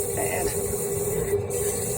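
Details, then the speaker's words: Venco No. 5 compact pottery wheel after grommet replacement and motor repositioning: clean steady mid-pitch hum at full speed, holding firm when the wheel is braked by hand, no slipping, squeal or bearing noise; motor running normally under load. "right motor sounds good there's no no bearing noise there um and down we go and sweet full speed"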